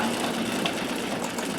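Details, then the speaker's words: 1959 Brother Flairmatic sewing machine on a treadle with straight stitch plate, sewing fast: fast even whirring patter, no knocking or grinding, camera mic amplifies it; normal running. "So it goes very well. Brilliantly quiet. The microphone on my camera does amplify it."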